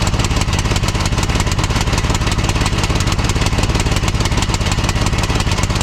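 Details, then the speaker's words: 2006 Troy-Bilt Pony lawn tractor single-cylinder on a new replacement carburetor (old one flooded), new plug: chuffs about three and a half beats a second, lumpy and uneven, running rich; new carburetor judged faulty, not metering right. "Okay. Well, it doesn't seem like it's running very good on this carburetor."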